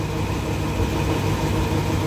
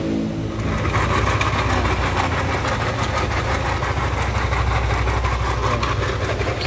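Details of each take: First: Lexi scooter idling after worn camshaft bearing replacement: steady even low hum with no rough knocking or grinding; engine smooth again. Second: Yamaha Lexi scooter started and idling: very harsh, fast uneven clatter over the engine note, caused by a failed (broken) camshaft bearing.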